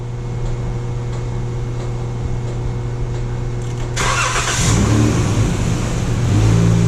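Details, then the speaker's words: 2012 Chrysler minivan that would only start with a jump pack despite good battery: steady low hum then sudden cranking and catch once power reaches the fuel pump; internal TIPM fuel pump relay intermittently not energizing, diagnosed with test light and PicoScope. "all right hold up we pretty much down to that the inside the the relay that's inside the tip them is bad so there's a test light there on on the fuse when that relay shuts that brings power back to that fuel pump"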